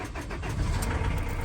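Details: Ford Transit Custom mk7 diesel van after starter cranking test: catches quickly and settles into even, steady low rumble, no misfire or knock; normal start, though starter is noisy and due for removal.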